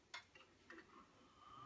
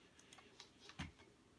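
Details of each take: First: PowerMac G5 dual 1.8 GHz startup: short rising tone then loud, even fan rush for about two seconds that dies down; normal startup fan roar. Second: PowerMac G5 dual 1.8 GHz after OS X 10.5 Leopard install: irregular light ticks and clicks a few seconds apart; hard drive sounds bad, cause unclear.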